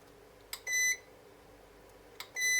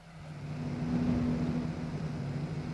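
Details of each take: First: Electronic load unit just after an 11-minute max-load test (transistor about 63 °C, heatsink 52 °C), with the fan still running: a click, then a short high beep repeating about every 1.7 seconds, as the unit malfunctions and needs a power cycle. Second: Electronic load's cooling fan runs at full speed under a 5 A load from three parallel 18650 cells, with the temperature around 28.6 °C. A steady loud whoosh with an even low hum; normal operation, though noisy.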